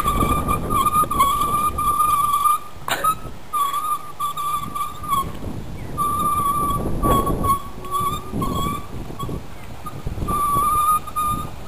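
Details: Scooter being ridden: a high, thin squeal near one kilohertz comes and goes in bursts as the brakes are applied, over road and wind noise; brake squeal.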